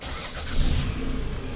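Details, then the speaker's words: 2004 Toyota RAV4 after a crank-no-start caused by a wiring harness fault in the crank signal to the ECU: a short crank, then it catches at once into a steady idle with no check engine light; a normal start. "Yeah. Yeah. That's what it's supposed to be. Very nice. And first, let let it run a bit."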